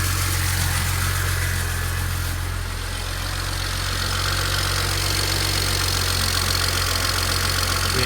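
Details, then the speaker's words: 2007 BMW 335xi N54 with 135,000 miles, idling after first start following turbo replacement, oil burning off with some smoke: strong, steady low hum with no knocks, misses or hunting. Normal idle. "so it should be a pretty quick car for what it is all right guys I started I don't hear any wastegate rattle"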